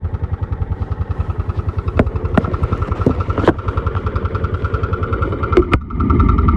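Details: Piaggio X9 500 maxi scooter engine noise; steady idle pulse with a light metallic rattle and a few sharp clacks, pointing to the timing chain or its tensioner; timing chain rattle.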